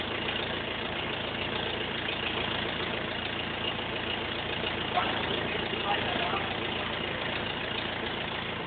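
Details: BMW E46 320D 150hp diesel, first start after an engine overhaul following swirl flap failure: steady, even diesel clatter at idle with no misses, knocks or hunting; healthy normal idle.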